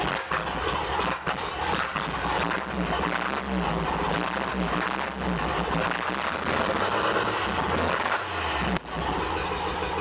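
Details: 1958 Chevy Apache barn-find truck, sat about 20 years, old six-cylinder just started on a new carburetor; steady, even rumble under background clatter, no misses or knocks; idling well.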